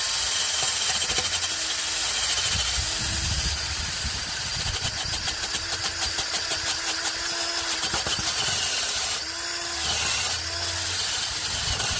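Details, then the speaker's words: 2006 Honda Accord with a rusty exhaust and a bad leak, before its MIG weld patch: the engine starts and idles with raspy, hissy puffing throughout. "This Honda's got pretty bad exhaust leak."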